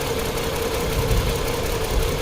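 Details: 2010 Chrysler Sebring convertible 2.7L V6 with lumpy, uneven idle, irregular low thumps and loping beat after new flexplate and EGR repair; scan data shows cylinder two misfiring, not crank sensor; loose coil connector found, coils swapped to test for bad coil.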